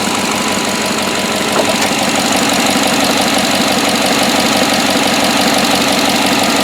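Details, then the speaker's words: 2007 GMC Yukon 5.3L V8 on first start after an oil prime: V8 settles into a steady, even idle with no stumble or skipped beat; the earlier miss is gone and the engine runs smooth and healthy. "but boy this thing is smooth as glass it is so so much better definitely that missus gone"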